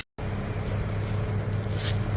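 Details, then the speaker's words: Heat pump outdoor unit after fitting lineset vibration absorbers on 3/4 and 3/8 lines: steady low hum and even drone, no rattles; still wiggles slightly but much quieter inside the house than before. Normal running. "uh so yeah now the system's running and I got these guys absorbing a good portion of the vibration it still is wiggling a little bit right here but man it sounds much quieter inside the house uh from how it was before"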